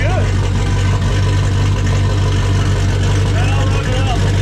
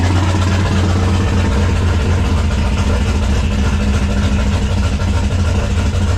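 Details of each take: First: 1995 5.9L Magnum V8 in 1951 Dodge one-ton, fresh Comp Cams Xtreme Energy 20-746-9 cam, 60 lb injectors, turbo, hot, about 850 rpm: deep steady idle with slight cam chop, all eight cylinders firing evenly. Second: 1995 5.9L Magnum V8 in 1951 Dodge dually, first start after Comp Cams cam install with 60 lb injectors and new tune; uneven choppy lumpy idle, not all cylinders firing; misfire, two cylinders dead.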